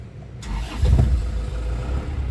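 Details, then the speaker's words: 2000 Isuzu Panther Kapsul (LV type) diesel, 496,575 km: engine catches quickly and settles into an even, crisp low diesel clatter with no misses or knocks; healthy start and idle. "Suaranya tekjreng dan masih suaranya itu masih renyah khas Panther."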